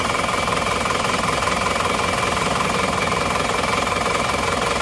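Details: Engine that burned 6 liters of oil in under 2000 km, started cold before repair, with scored cylinders suspected. It idles rough with a fast, even tapping about three times a second, fitting worn pistons and rings with blow-by.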